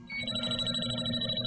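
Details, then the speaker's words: JB Industries LD5000 Prowler refrigerant leak detector, pendulum sweep going back ever slower and narrower: bright, rapid high-pitched warbling alarm as the probe tip pinpoints the refrigerant leak. "An additional alarm. You can see each time I'm going back a little less past it and a little slower. There's a leak."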